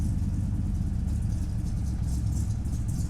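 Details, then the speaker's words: 1969 Ford Mustang Boss 429 V8, cold start without manual choke, slow to turn over: deep heavy burble settling into steady, even idle, no knocks or misses; normal idle. "now down to the idle man that sounds awesome"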